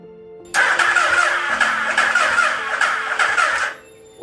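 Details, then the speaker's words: Built used Hayabusa engine swapped into a Banshee, cranking after the starter was replaced: harsh, uneven, lumpy beat, same noise or worse, no catch. Owner suspects a holed piston, bent valve, or timing off, possibly skipped timing from the previous owner's teardown; unconfirmed. "I just replaced the starter and it's making that same exact noise, even worse. So either it's down a hole, valve's bent, or the timing's off."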